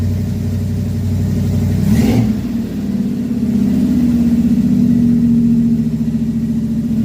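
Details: Carbureted Chevy V8 stored since 2010, first start in 15 years after new carb, fuel pump, plugs, wires, Hooker headers, custom H pipe and two Flowmaster mufflers; deep steady rumble rising smoothly with throttle and settling back; normal idle and revs.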